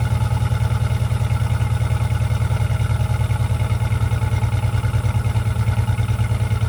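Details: 2004 Jeep Liberty 3.7L after new muffler and tailpipe fitted: deep, even low-pitched exhaust pulses, steady rumble, slightly louder than before, no rattles or leaks; normal exhaust note.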